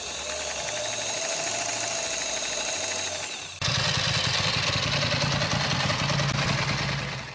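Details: Ducati motorcycle engine idling: a busy, dry, fast ticking clatter over an even idle, like a sewing machine, described as the normal Ducati engine sound. Dry clutch or exhaust are raised as possible sources.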